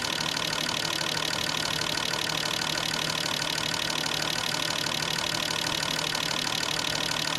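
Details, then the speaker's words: Fuel injectors on a bench testing unit during cleaning service, run through high-speed, accelerating and idling tests, flow glasses within one to three; fast, even clicking buzz with no skips, normal injector operation. "Okay, here's another test. High speed. Accelerating test. Idling test"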